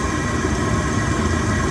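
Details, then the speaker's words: 2 kW Chinese diesel heater on standard pump and filters during a fuel consumption test, run up to top speed with fan kicking in; loud steady roar with even fan hiss, no knocks or surging; normal full output. "Fan's kicking in now. I mean, this is a very powerful bit of kit."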